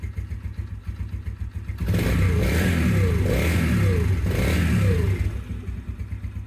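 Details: New Yamaha TTR125 after the cold start fix, electric start, choke off, cold: small single thumps at a steady idle of about four beats a second, with a short rev blip. Cold but even and healthy.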